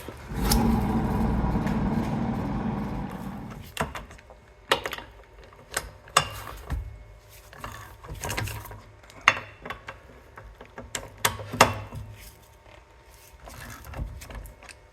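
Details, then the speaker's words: Ford Fiesta Mk5 rear press-in wheel bearing, very worn, humming for months: rough gritty rumble from spinning hub, loud going straight or turning right, quiet turning left; worn rear wheel bearing needing replacement. "again recently, and the wheel bearing's just screaming at me. It's alright, when I turn left, it's quiet. It's only when you turn right, or go straight ahead."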